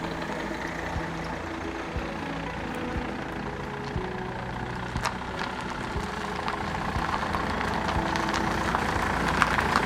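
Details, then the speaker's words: BMW E91 320d diesel after owner's turbo replacement and crankshaft pulley change: soft, steady idle with light even clatter, no rough rambling or surging; running much better. "okay it's uh done you can hear it it's running a lot better"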